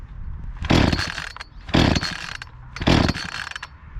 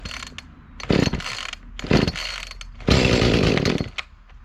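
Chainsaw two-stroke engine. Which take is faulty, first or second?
second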